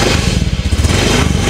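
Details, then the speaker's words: 2016 Honda Beat FI scooter after throttle body cleaning: low, steady putter with even beat, no misses or knocks; idle smooth and normal despite not yet being adjusted. "suaranya halus langsamnya juga normal padahal belum saya Setel ya"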